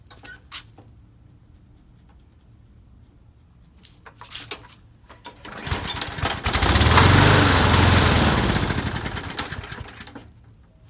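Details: Lawn mower that won't stay running without repeated priming, after blowing out the jet and oiling the cylinder: it catches, runs about five seconds with speed swelling and sagging, then dies. Later traced to clogged channel holes in the float bowl bottom bolt starving fuel.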